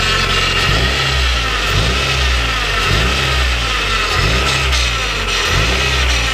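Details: Honda Prelude with freshly rebuilt F20B (86mm bore, K20A Type R pistons, stock rods, polished crank) on first run: clean repeated blips rising and falling smoothly, no misses or knocks; engine revs freely, no smoke, healthy.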